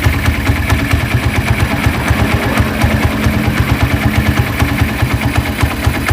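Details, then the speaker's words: Honda Tiger motorcycle after rebuild, smoking on cold start and lacking power: cold idle with fast regular rough clicking each beat from the cylinder head over lumpy thump; mechanic likens it to scored piston or piston slap, unconfirmed. "Oke jadi ngebulnya seperti itu dan bisa kita dengarkan bahwa tadi di bagian kop sini itu terjadi bunyi kasar kemlitik dan ada bunyi terklik seperti itu"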